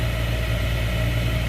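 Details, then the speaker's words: 2013 Chevy Cruze HVAC blower after removing a cabin air filter clogged with a rodent nest; airflow restored but a steady droning rush with rough uneven hum remains, worn blower motor, to be replaced. "still a little bit noisy so um let's get this blower replaced"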